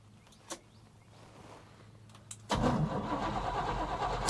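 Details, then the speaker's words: 1986 Chevrolet K30 dually, first start attempt, fuel not yet hooked up: starter cranks with steady even chug about three and a half pulses per second, strong even compression; normal cranking compression. "yeah, listen to all that compression."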